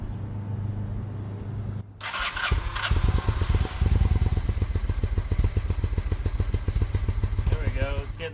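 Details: 2000 Honda Shadow ACE 750 V-twin, choke out, fresh fuel in the tank but old fuel still in the carbs: catches after cranking and chugs unevenly with irregular pops, barely running; fuel issue, not spark.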